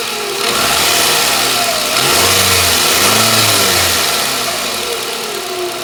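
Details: Toyota Camry 40 with 2.4 engine, revs rising and falling: a sharp, metallic ringing tap runs constantly at the front near the alternator; ringing engine knock, source not pinned down.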